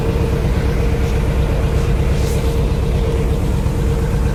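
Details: 1964 Chevy Impala idling after repairing a crank-no-start by replacing a failed part: steady, even low rumble with no misses, knocks or ticks; running smoothly.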